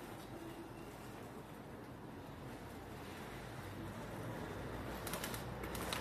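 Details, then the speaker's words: Bicycle hydraulic disc brake after service (oily pads replaced, brake bled and adjusted) rolls and brakes with only soft tyre and wind noise; no more squeal. "Test du vélo de réparation. Le vélo ne grince plus."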